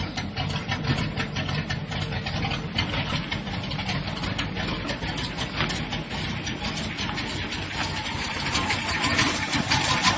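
Uneven, lumpy idle with irregular stumbles around two per second over a steady low rumble; rough running, cause not yet pinned down.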